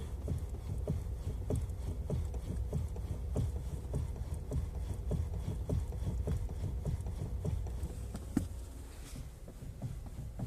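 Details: Kia Ceed facelift steering rack knock: dull irregular knocks, roughly one or two a second, over a quiet low rumble, pointing to a worn steering rack.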